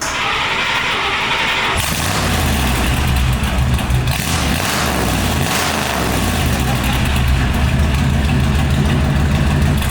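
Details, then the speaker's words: 1963 Buick LeSabre 4-door after the muffler was removed and a new tucked exhaust fitted: a short start-up burst, then a loud, deep, even burble with a lumpy exhaust pulse, a normal idle. "That sounds pissed off."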